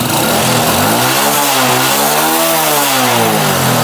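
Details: Honda Wave 100 with a fouled spark plug and oil in the combustion chamber, just fitted with a hot C6HS plug, carburetor still dirty. Small single fires, revs up then settles, pitch rising and falling smoothly with throttle, no stumbling; normal running.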